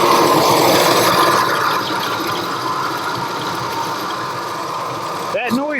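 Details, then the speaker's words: 2000 Ford Expedition 4.6 V8 at idle: whirring, high-pitched squeal and slip noise that seemed to come from elsewhere, traced to a bad idler pulley; worn idler pulley bearing squeal. "it was kind of a whirling noise a high-pitched squeal and slip noise"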